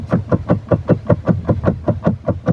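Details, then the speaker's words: 2016 Maruti Suzuki Baleno, parked, steering rocked side to side: sharp regular tick-tock knock about six per second from the steering rack area; worn steering rack bush. "വണ്ടി നിർത്തിയിട്ട് അങ്ങോട്ടും ഇങ്ങോട്ടും shake ആക്കുന്ന സമയത്ത് ഒരു tick tick tick tick tick sound വരുന്നു"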